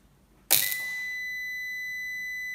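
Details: Axioma ISGRID4000 hybrid solar inverter on the bench after repair, running a 200 W lamp load, when 220 V mains is switched off: a single sharp click, then a steady high-pitched beep that holds without stopping; fault alarm, something wrong, code 04 shown.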